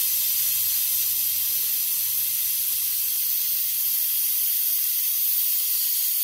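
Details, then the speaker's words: Four Uncles air-driven vacuum brake bleeder pulling fluid normally: steady, even high hiss of air with no sputter or pitch change; a little air leaks through unless the lever is pulled up. "now the one thing i've noticed about this tool is it does like to have just a little bit of air going through it if this thing isn't like pulled up this lever so you'll hear a little bit"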